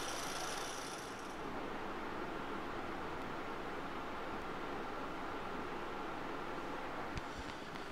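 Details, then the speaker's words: MSI GP65 Leopard laptop CPU fan after reassembly, with a fan part that kept pushing outward now held in place, mic close. Soft, even airy rush; the earlier whirring is mostly gone and only a faint sound remains. Normal fan noise. "and now if you see the noise has come down much better if I take the mic closer there is a little sound"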